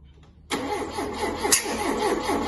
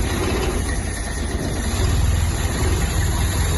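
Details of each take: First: Ford Mk2 Capri 2.0 GT Pinto engine, long unused, with new distributor: spark confirmed and firing order 1-3-4-2 checked, but steady even cranking never catches while the distributor is rotated by trial and error; no-start from incorrect ignition timing. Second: Ford Mk2 Capri 2.0 GT Pinto engine, not run for many years, started after the newly fitted distributor (previously out a tooth or two) was repositioned: steady, even low idle with no misses or knocks, only slight choke smoke, no blue smoke; normal idle.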